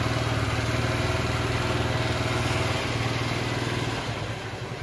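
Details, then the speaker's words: Honda Shine bike just refitted after a full engine rebuild, started by self-starter: steady single-cylinder idle putter about four beats a second, no knocks; not yet run in, expected to get smoother; normal idle. "Okay engine sound అనేది ఈ type అయితే వస్తుందన్నమాట ఇంకా smooth అయితే అయితది అన్నమాట"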